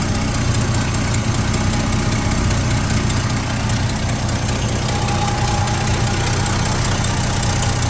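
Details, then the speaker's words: 1972 Chevy C10 pickup after new distributor, roadside: low, steady idle lope with a slight uneven pulse; running good, no longer smoking, not labouring or overheating. "Seems to be running good."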